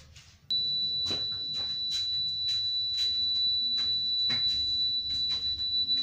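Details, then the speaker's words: British General BG USB double socket just fitted: the plug-in socket tester gives a steady high whistle with two green lights on, confirming the outlet is wired correctly. "okay as you can hear the whistling's going which means it's all connected properly"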